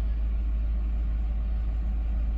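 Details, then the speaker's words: 2010 Ford Crown Victoria Police Interceptor V8 petrol, just started and cold: steady, even low idle rumble with no knocks or misses, sounds good; not overheating yet though reportedly overheats after 20 minutes. "sounds good temperature well we just started it so sounds good"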